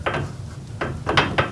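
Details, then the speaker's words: Garage door roller after a sleeve is fitted over its stem, shaken by hand: a few dull, soft knocks instead of the earlier high-pitched rattle. "see that it is nice and muffled not one of those high pitched like what i showed you before"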